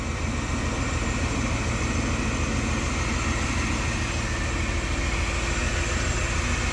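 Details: 1980-1986 Ford F-series/Bronco after 1G-to-3G alternator conversion, AC off, engine running: even, steady smooth quick pulse with no knocks or squeals; healthy engine, charging at 14.7 V.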